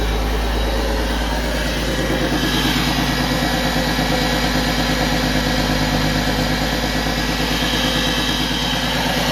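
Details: 2001 Porsche Boxster 986 after fuel pump replacement (old pump gave about 20 psi, causing rough idle or no start): smooth even idle, steady low beat, no misses, ticks or pump whine; engine running healthy.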